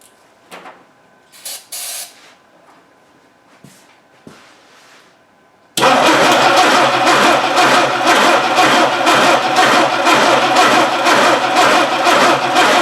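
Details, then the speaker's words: 1960 Dodge Dart Seneca with a newly installed engine after 10+ years in storage, coil hot-wired to the battery, carb spray used: starter cranks evenly but it never fires; no spark because the distributor drive gear is broken. "well there's your problem there's no gear on there that's why she just spins"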